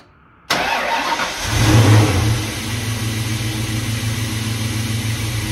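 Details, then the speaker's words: SN95 Mustang just after a cold air intake upgrade, with the filter tucked under the hood and sounding slightly quieter: the engine catches cleanly, revs smoothly and settles to a steady idle with no knocks or misses. Normal start and rev. "actually slightly quieter because uh it's tucked away I guess under the hood"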